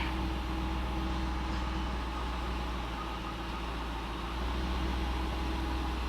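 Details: Cadillac CTS-V V8 after starter replacement, idling just after start (starter screeched slightly, pinion seemed to lag): steady, even low hum with smooth unchanging beat, no knocks; balancer shows no wobble, drive belt good, no leaks; normal idle.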